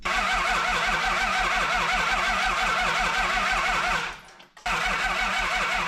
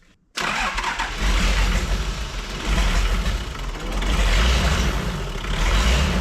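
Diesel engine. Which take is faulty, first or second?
first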